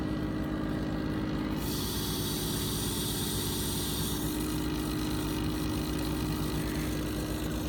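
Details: Pump with bypass set to 60 psi, running at 30 psi: steady even hum, constant low tone, no chatter or knocking; quiet normal operation, bypass engagement noise appears around 35-40 psi.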